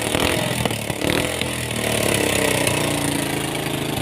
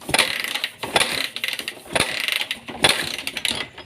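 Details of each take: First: Suzuki Thunder 125 with a hard-starting complaint, kick-started after checking the spark plug: a few pops, then a steady, even single-cylinder idle. The cause was a dirty carburetor with water in the fuel. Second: Suzuki Thunder 125 motorcycle with hard-starting problem, ignition on: repeated mechanical cranking bursts about one a second, engine never catches; cause unknown, ignition and spark plug to be checked first.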